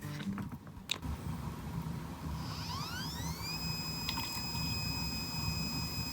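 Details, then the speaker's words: Working iPod hard drive: a quiet whine rises and settles into a steady high tone with faint soft random seeks and no clicking or grinding. Normal, healthy hard drive operation. "See, this is what a hard drive is supposed to sound like. I just got some random reading patterns. You know, the drive isn't yelling. And that's a that's a pretty healthy drive."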